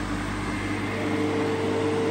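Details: Fieldpiece MR45 refrigerant recovery machine on automotive A/C, throttled open just enough (reading about eight) after it shut itself off going negative at too-slow flow: steady, even motor-and-compressor hum, faint constant tone, no knocking; running normally.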